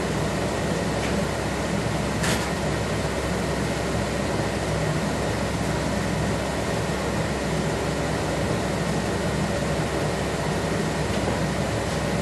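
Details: 1976 Corvette restomod with Holley Sniper EFI, ignition on, engine off, fuses 4 and 5 pulled: steady, loud rushing whoosh at one pitch, no engine beat; electric cooling fan runs with key on, no fuel pressure, cause unconfirmed.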